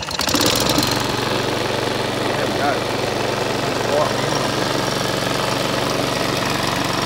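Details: Cheap Chinese department-store lawn mower, about a year old, unused for half of that, first start after checking choke linkage and spark plug boot: catches with a burst, settles to fairly even putter with slight unevenness; normal idle.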